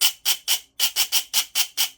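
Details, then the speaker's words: Silverback MDR-X gearbox, 18:1 ratio, with pressure applied to the motor to fix scratchy noise: even high whirring bursts, no grinding; smooth mesh, the noise traced to bevel gear sitting too low against the pinion. "how much smoother does that sound so what's happening is is the bevel gear is sat too low"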